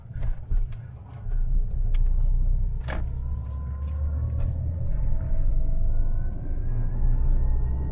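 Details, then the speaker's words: Great Wall Wingle (V240) camper with a Mitsubishi 2.4-litre petrol engine, driving with the aircon compressor off: smooth, even engine drone and a faint whine climbing with speed, no harshness; sounds healthy. "it sounds much nicer without the aircon compressor on"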